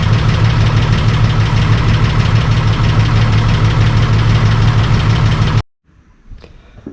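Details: Holden VL Calais turbo six after bigger turbo upgrade and new exhaust/muffler, first start: deep steady exhaust rumble at idle, even and unbroken, then shut off; normal idle.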